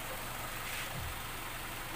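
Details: 2002 Honda CR-V K20 idling after replacing a grinding, no-start starter with a surplus Japan unit: steady, even idle with smooth low hum, no knocks, misses or grinding; healthy, problem solved.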